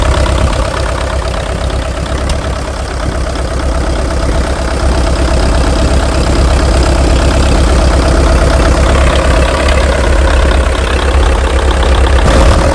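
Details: International TD-6 crawler diesel, sitting 11 years, after fixing the cylinder #4 misfire (number four now hot): heavy idle with a steady, even low chug, no misses or knocks, all four cylinders firing cleanly. Normal idle.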